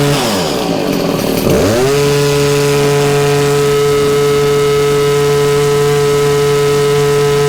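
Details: Stihl HS 81R two-stroke hedge trimmer after cleaning the clogged spark arrestor screen and refitting the exhaust; rough revving start settles into a smooth, even hum at steady speed with no sputter: running clean.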